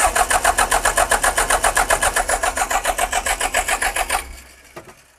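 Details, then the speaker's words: John Deere 310G backhoe diesel after replacing a blown 10-amp fuel pump fuse: even starter cranking about four compressions per second for four seconds, never fires; owner suspects the fuel system needs priming/bleeding. "I think we need to prime the system. I think bleed. I think we need to bleed the system."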